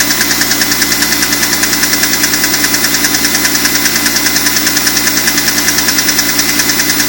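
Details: BMW E46 M3 engine running steadily with a sharp, even tick about a hundred times a minute over a hissy background; unidentified engine noise worth chasing.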